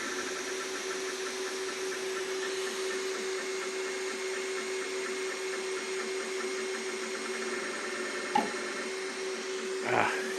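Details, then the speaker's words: Two Trees Sapphire Plus SP5 CoreXY 3D printer, newly assembled, printing at 200% speed with fans on: steady motor hum and fan hiss with two isolated metallic bumps; owner unsure if motor or mechanical, print unaffected: intermittent metallic bumping. "I keep hearing these uh these noises it's it's like a like it's bumping to a a metal something I don't know if it's coming from this uh motor or if it's a mechanical issue"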